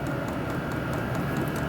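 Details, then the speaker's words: Vevor diesel heater controlled over Bluetooth, turned all the way up to maximum: steady rushing blower hum with faint quick fuel-pump ticking as the pump picks up, running evenly. Normal operation at maximum output. "you can hear the the pump picking up we go all the way up see what it does it goes all the way up should be getting some really good heat now"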